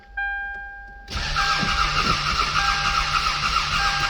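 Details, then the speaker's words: 1995 Toyota Camry, crank no start. It arrived this way after a bad battery swap lost the codes, and the owner says it sometimes started then stalled after 10 minutes. The starter spins it evenly without firing, and there is no computer control of the injector, so a crank signal is suspected missing (timing belt possible). "all right so clearly if you don't have computer control on an injector you can safely assume that you don't have a crank signal"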